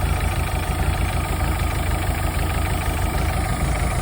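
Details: 1983 Galaxy boat engine, previously run with RTV as its head gasket and no compression: low, uneven, lumpy-cam-like idle with a heavy throbbing shake; rough idle, suspected misfire, noisy valves also noted.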